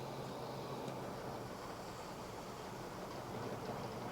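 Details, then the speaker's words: Autolite 4100 carbureted engine idling roughly with a vacuum line removed entirely, steady airy hiss over the rumble; running bad, a large deliberate vacuum leak, runs normally when plugged back. "You can hear the hiss. It's running bad. It's just awful."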